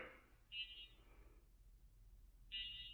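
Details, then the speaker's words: Shift Red drone indoors, not flying, no wind: two short high-pitched beeps about two seconds apart; warning beep, owner suspects low battery or a propeller issue. "So I think that beeping sound is telling you it's low battery. Or one propeller spinning."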